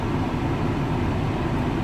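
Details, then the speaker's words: VW Touareg after replacing the noisy A/C compressor (clim pump) and pulley, A/C cooling to about 4 degrees: smooth even low engine hum, no whine, rattle or grinding; original noise gone, normal running. "voilà donc vous pouvez pas vous rendre compte sur la photo mais c'est bien froid ici un et le bruit bien sûr n'est plus là"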